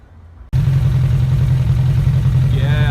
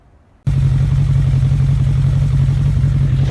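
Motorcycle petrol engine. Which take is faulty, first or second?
second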